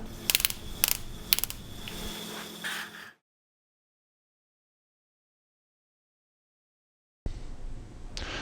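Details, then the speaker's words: 1996 Nissan Skyline R33 GT-R RB26 with bigger turbos at 15 to 16 boost, misfiring at 5,000 to 6,000 rpm under boost: coil test with ignition on, sparks snapping across a 1 cm gap to an earthed aluminium sheet. "as I turn the C you will hear the Sparks jumping across the spark plugs to aluminum sheet"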